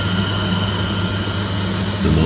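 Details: Candy CTDB H7A1TBE-80 integrated condenser tumble dryer after the motor capacitor fault was fixed, door switch overridden for the test: an even, low drum-motor hum with no knocks or scraping.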